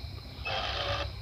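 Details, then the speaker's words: Cayman Haswing wireless bow-mount 12 V 55 lb trolling motor, steering gearbox in the head: loud gritty whir with a faint tone for about half a second as the head turns; noisy steering gearbox, a common complaint. "I do want you to listen to the speed of the motor as it turns and this is what everybody complains is the gearbox it's in here you can hear very loud as you turn"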